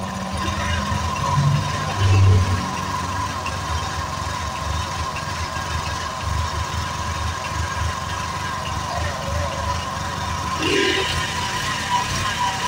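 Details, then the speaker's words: Honda Vario 125 KZR scooter that died when throttle was opened, with the reading risen from about 12 to nearly 40: it starts, idles steadily and revs cleanly without stalling. "Oke, sekarang dia mau ya. Sekarang mau hidup dan digas juga sekarang mau dia ya."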